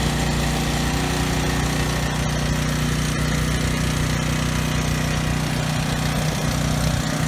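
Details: Briggs and Stratton generator running unloaded after carburetor cleaning, governor tab bent to raise rpm toward 61 Hz; even, steady drone holding speed with no hunting or stutter. The earlier no-load stutter is resolved, normal running.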